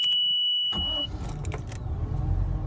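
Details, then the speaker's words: 2003 Bayliner 215 Bowrider, V8 stern drive, restart after testing the cut-off switch: warning beep, then engine catches at once and settles into an even, low, steady idle; normal start and idle. "All right. Does that cut off switch actually work? Yes, it does."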